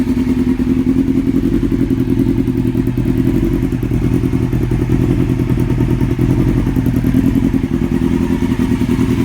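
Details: 2002 Yamaha R6 four-cylinder idling on the stand: fast, light tick over the exhaust beat from the top end or cams. It was present before purchase and remains after fitting an APE manual cam tensioner; owner hopes it is not the valves. Cause unconfirmed.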